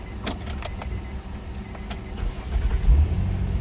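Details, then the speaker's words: 2004 Nissan Maxima after crank-no-start/hard-start repair (connector reinstalled, codes cleared), repeat restart: a few light clicks, engine catches almost at once and settles into a steady idle; clean quick start. "Here it one start right there. No more hard start. 1, 2, 3, boom, the car start."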